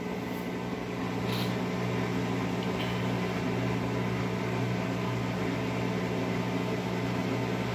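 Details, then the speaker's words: Whirlpool-type 17 kg top-load washer that fills, washes a few seconds then stops: steady low electric hum of drain pump with drum not moving; normal drain pump operation. "y no sé si lo escuchen pero encendió la bomba del desagüe no está moviéndose nada pero se escucha el desagüe"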